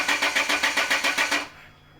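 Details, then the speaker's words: Land Rover after torque converter/crank seal replacement and fluid refill, won't start: steady even cranking about five beats a second, no catch, then stops; friends suspect fuel, system bled, cause unconfirmed. "Okay guys, so it's actually a few days later, and after we shut down the Land Rover and refilled the fluids, we just couldn't get it to start again."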